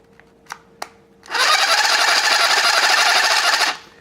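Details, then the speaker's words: Snap-On CBR 30 12-volt cordless drill with a broken forward/reverse selector switch, run before teardown: a few clicks, then a harsh rattling whir for two seconds with a gritty edge; rough gearing, owner suspects it needs lubrication. "doesn't sound good either way it does it"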